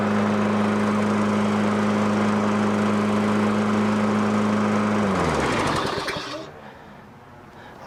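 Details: 2003 Toro 20017 mower with swapped-in 2006 Tecumseh LV195EA replacing original LEV120, after bending governor tab for tension: steady even drone at constant speed, then clean wind-down at shutdown; governor holding speed, normal running.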